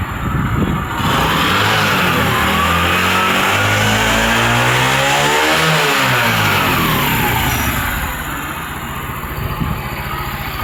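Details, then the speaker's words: Motorcycle started after an engine oil change with fresh Havoline oil; starts, revs smoothly to a steady high run and settles back, even firing with no knocks or rattles: normal running. "अब oil डालने के बाद start करते हैं, sound check करते हैं sound कैसा है।"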